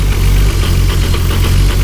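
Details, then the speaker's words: 1999 Nissan Skyline R34 GT-R, highly modified with big T88 turbo and Getrag gearbox: steady low idle with chunky repeating clunk several times a second, twin-plate clutch rattle, a known normal trait. "thing you'll notice on the car is that it is making a kind of a chunky chunky sound and that sound comes from the clutch the car right now has a twin plate clutch"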